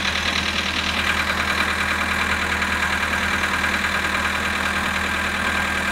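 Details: VW Polo sedan at 18,967 km, cold idle at -19 °C: a light, fairly regular knock about twice per second over the idle drone; the cause is unknown.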